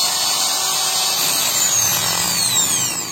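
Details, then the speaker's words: Makita angle grinder, guard removed, running with a harsh gritty hiss and wavering pitch; worn motor bearings make it sound rough, vibrate, and spin slowly as if held back, before bearing replacement. "kita ketahui semua kerusakan bearing mesin ditandai dengan suara mesin terdengar kasar Hai mesin bergetar pada saat dihidupkan dan putaran mesin terlihat lambat Hai dan sedikit terdengar tertahan"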